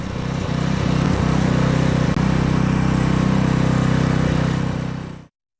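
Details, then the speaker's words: Abandoned Honda HS35 snowblower after troubleshooting: steady even single-cylinder thrum about four beats a second holding constant until shutoff; engine running fine, though it threw snow poorly until auger paddles and scraper bar were replaced. "the engine was running fine but it didn't seem like it was moving all the snow and what snow it was moving it wasn't throwing it very far"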